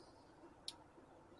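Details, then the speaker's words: Injectors being click-tested via a diagnostic tool's injector control test, before replacing number 4. One sharp, clean solenoid click; injectors one to three click normally, while number 4 clicks weakly and is suspected. "we're gonna listen for the injectors now you're there so hopefully you can hear injector one is clicking object is two is clicking and get to three click in"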